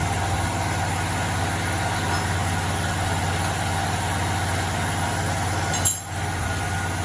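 Steady engine drone with a fine, fast rattle riding on it at constant speed; a loose part is rattling, source not pinned down.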